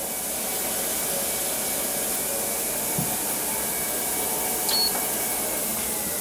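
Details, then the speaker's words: SportsTech F31 treadmill after replacing the cracked deck, before lubricating: smooth, even hiss and hum from belt and motor with no knocks or scraping; running normally. "you can hear it i don't remember if it's any noisier or quieter than the previous one"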